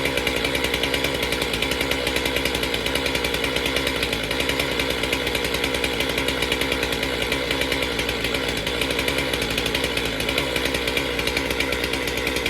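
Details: Stihl MS462 chainsaw fired up outside after service and air filter cleaning, before resetting its calibration: steady high-revving buzz with an even, fast firing rhythm that stays smooth; healthy, running cleanly.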